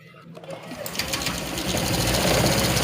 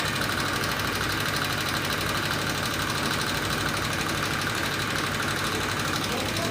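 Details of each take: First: 2018 Honda Vario 125 scooter after valve clearance adjustment with head cover still off: engine starts and settles into an even idle, earlier rough ticking gone; normal. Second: 2018 Honda Vario 125 scooter idling with rough engine noise: dry light ticking over busy cylinder-head clatter; likely cause is loose valve clearance (valve adjustment), a minor fix.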